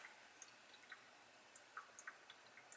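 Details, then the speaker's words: 30-stage UV premium reverse osmosis system under a kitchen sink: quiet scattered drips and small ticks of water trickling into the drain line; normal purge, not a leak. "I can hear it. I don't know if you can hear it leaking in there, or purging itself, I should say. And I don't think that's going to bother me."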